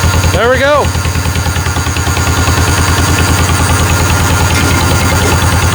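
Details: 1949 John Deere Model M, hand-cranked in 27°F cold with oil thick as molasses, now warming up: a slow, even two-cylinder putt-putt, about three beats a second, steady and unbroken. Normal idle.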